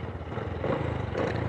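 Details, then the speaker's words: Honda Supra motorcycle, lacking power and topping out at 100 km/h, low compression and loud cam chain: light rattling clatter over the low exhaust beat; crankshaft bearings not replaced, bearing noise still audible. "ini nggak ganti laker ya masih kedengeran suara lakernya ya"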